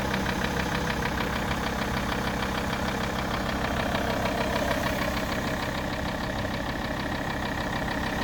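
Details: Alfa Romeo 159 2.4 at steady idle: a regular light knock at about 150 per second, louder on the right side of the car. Engine knocking, cause suspected, not confirmed.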